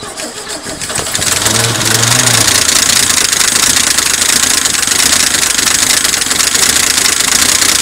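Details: 1972 Chevy pickup, first start after sitting 24 years, primed by hand, exhaust possibly missing; catches after a second into a busy, hissy run with faint uneven tapping underneath, possibly dry lifters.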